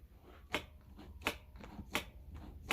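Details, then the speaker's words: Throttle slide of a 70cc Mk2 Stage 6 Booster scooter engine: light, crisp clicks about every 0.7 seconds in a quiet room, the little clack-clack of the slide; seated and moving freely, normal. "Je sais pas si vous entendez le petit clac-clac. Le petit clac-clac du boisseau, faut l'entendre."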